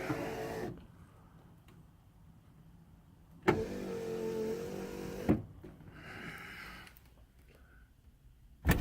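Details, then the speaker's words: Restored 1989 Jeep Grand Wagoneer, rear door power windows being operated: smooth whirring runs of a couple of seconds each, ending in a firm stop at end of travel. The windows work. "we can see the rear window how it works from the inside works just perfect"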